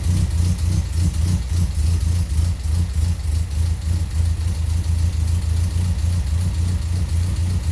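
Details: Toyota Corolla KE55 with the 1.3L 4K-C engine on a cold start: a steady, low, loud idle thrum with a faint, quick ticking on top. Loud valve tappet noise.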